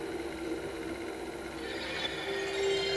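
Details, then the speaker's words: Day-one Sony PlayStation SCPH-1002 with replaced optical pickup that had not been reading discs, powered on with an NTSC game: faint whir climbs then settles into a steady, even hum as the disc spins up; boots fine. "so uh yeah let's uh power on and see what we get and we're getting a boot [Music] um we've got spin up"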